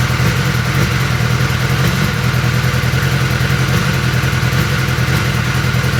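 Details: 2021 BMW S1000R inline-four at idle: uneven, stumbling low pulse that never settles, misfire, cause unclear.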